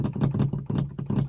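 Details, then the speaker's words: Polaris Ranger XP 1000 Crew after two years of ownership, front windshield open: quick loose rattling bursts about five a second over a low idling engine, the windshield hinges chattering against their pins. "hear that rattle that noise is in the hinges it is so annoying driving down the road and having the windshield up and having the hinges just rattling like crazy"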